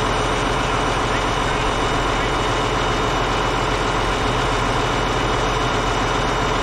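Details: Caterpillar D8H bulldozer (46A serial, year unknown, No. 28 cable control unit) running after sitting 15+ years, once fuel reached it: deep, steady diesel rumble at idle with an even, unbroken beat, no knocks or misses. Normal idle.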